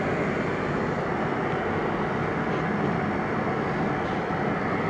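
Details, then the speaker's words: Oil burner on a boiler or furnace at its annual tune-up, running through the smoke test: steady even roar of flame and blower with no pulsing, rumble or flutter. Smoke test was clean, burning clean. "when you're done you know that everything's burning clean"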